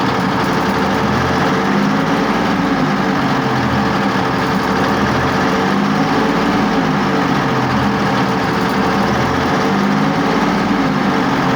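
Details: Test run of a YPR 756 armoured vehicle engine after repair: steady low diesel drone at constant speed with no knocks or dropouts. Engine running evenly.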